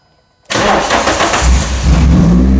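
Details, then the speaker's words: Renault Clio with a 182 engine swapped in, first start: a brief crank, then it catches cleanly, revs, and settles to a steady idle, quieter than expected with no leaks; a normal start. "That's amazing. I mean, it's not leaking. Yeah. That's not as loud as I thought it was going to be."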